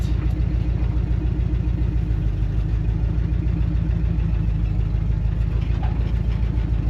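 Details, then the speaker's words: 1974 Dodge W100 Power Wagon V8, about 76,000 original miles, parked since 1983, cold start: steady, even idle with a deep, regular exhaust pulse and no misses or knocks; exhaust in poor shape. "And in fact, this thing cold start I mean, you don't get much better than that."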